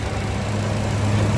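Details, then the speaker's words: Car with a propane system idling on gas after four components were refitted and tightened: low, smooth, steady hum, no vibration, running as cleanly as on petrol. "vibratsiya yo'q mashinada. Joy-joyda ishlayapti. Tiniq ishlayapti mana aka. Xuddi benzinda qanday ishlasa shunaqa ishlayapti."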